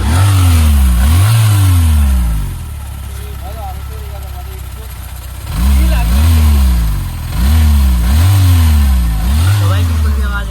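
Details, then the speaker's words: Yamaha MT15 after tappet adjustment, perhaps about 500 km since oil change: repeated clean throttle blips rising and falling smoothly with no ticking between revs; valve clearances now set, engine sounds healthy. "अब की आवाज सुनो बिल्कुल भी आवाज नहीं आएगी"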